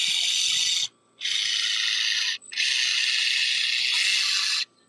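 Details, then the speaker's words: Traxxas RC car, servo fixed, wheel removed: loud raspy high-pitched ratcheting bursts from rear drivetrain, stopping when throttle is released or brake applied; far louder than normal, cause not yet found. "There's a nasty noise coming out of the back, out of the Vilenian."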